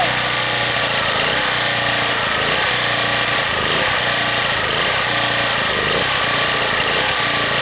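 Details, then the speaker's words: Harbor Freight 1800-watt generator cold-started at 15 below, on full run with no choke: engine speed surges up and down about once a second under heavy hiss; it hunts until it warms up. "That's full run now. No choke whatsoever. And until it really warms up, folks, it's going to keep hunting."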